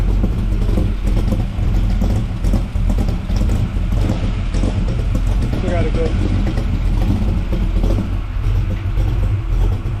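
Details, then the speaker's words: 1979 Camaro, 427 small block with big solid roller cam and tunnel ram, idling just after swapping the Flowmaster FX mufflers for Walker Ultraflows: deep, even low rumble without the raspy glasspack crackle; the exhaust note is healthy. "Still got a nice rumble. That's the air pushing out of there."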